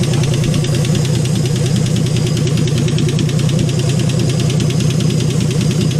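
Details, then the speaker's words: 1951 Hudson Hornet's AMC 199 engine, just reassembled, idling with oil pressure but leaking oil: fast, fairly even tick about three per second over the hum; one lifter suspected as noisy, not confirmed. "It's maybe the lifters. This one here's making noise."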